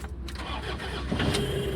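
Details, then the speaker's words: Toyota Innova with a no-start, codes P1604 and B2796 and no fuel pump supply, after the fault under the dashboard was fixed and reset: engine catches and settles to a steady low idle within a second, no stumble. Normal start. "मेरी गाड़ी पूरी start हो चुकी है।"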